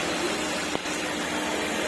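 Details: Maruti Ertiga, latest model, after water pump replacement: steady even idle under a constant hiss, with no whine, squeal or grinding; the earlier engine noise came from the old water pump.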